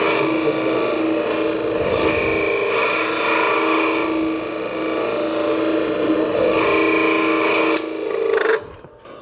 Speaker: did you hear it begin to chatter at one point it did that because I was cutting wood on too broad a surface across the cutting edge of the scraper